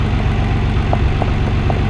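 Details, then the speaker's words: Nissan 300ZX Twin Turbo cold idle in warm-up open-loop mode right after replacing a damaged rear ignition coil: steady, slightly fast even idle, no misses or stumbles; smoother than before, normal. "Wow, so that's actually quite nice. I know it's still in the cold warm-up open loop mode,"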